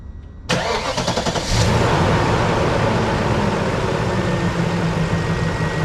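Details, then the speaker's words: BMW X5 4.6is, older M62TU V8 prone to Vanos rattle, startup after full service with fresh oil and new spark plugs: crank, quick catch, brief flare, smooth idle with no rattle or stumble; normal. "Quiet as. Good."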